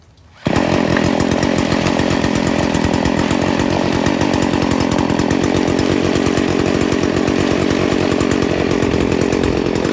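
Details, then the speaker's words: Stihl FS 40C two-stroke trimmer during carburetor tuning, idle screw bottomed then opened about three quarters of a turn: starts and holds a fast, even idle with no hunting; normal idle. "so now it's idling now we're gonna mess with it and try to get it to idle the way we want"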